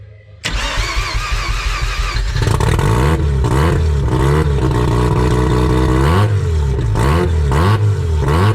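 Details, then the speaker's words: Mazda RX-7 turbo rotary after redoing the downpipes with a new V-band, flex pipe and EGT probes: quick crank, clean catch, buzzy idle with sharp blips, no ticking or puffing; V-band exhaust leak resolved, normal start and rev. "overall happy with the result it looks like the exhaust leak is resolved and should be ready for a track day next month"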